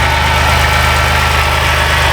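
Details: 2010 Dodge Grand Caravan 3.3 that bogged down and stalled; after a replacement computer was fitted, engine in closed loop with O2 switching. Steady, even idle with a smooth low hum, no misses, stumbles or knocks: normal idle.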